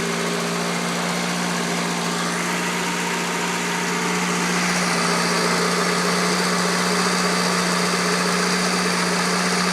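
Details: 1989 Honda Accord still smoking after an oil change and valve cover gasket replacement; uneven, lumpy rough idle with a low drone and a faint irregular pulse about four times a second.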